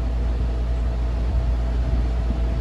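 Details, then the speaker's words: Vintage Turkish RAKS DF-12TK desk fan, on speed one after lubrication (was seized), gearbox plunger repair and cleaning; even low steady hum, smooth constant whir, no rattle or scraping; normal running. "a pretty good fan. It's pretty powerful."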